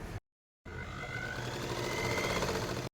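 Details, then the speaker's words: Sewing machine after cleaning, oiling and reassembly; it earlier made a tak-tak sound and broke thread. Now a quick, even stitching patter over a light motor hum, about four beats a second, no knocking. Runs smoothly. "చూసారా sound ఎంత smooth గా వచ్చిందో ఇందాక ఎట్లా వచ్చింది sound టక్ టక్ టక్ మని ఇప్పుడు చూడండి సౌండ్ కూడా చేంజ్ అయిపోయింది"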